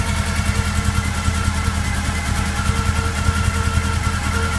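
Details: Golf 1 petrol engine at uneven, lumpy idle with irregular low puffing and chuffing beat; head gasket blown between two cylinders.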